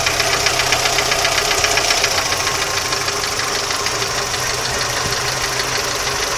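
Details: Audi 80 engine at steady idle with a sharp, regular metallic knock about four times a second riding over the engine; source of the knock not pinned down, cause suspected, not confirmed.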